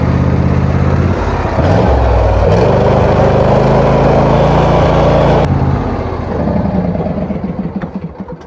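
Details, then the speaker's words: Wheel Horse tractor small single-cylinder engine at full throttle with blades engaged, running normally again after earlier strange noise, no known fix; steady even beat with no misses, then winds down. "it's running normal again the blades are spinning at full speed"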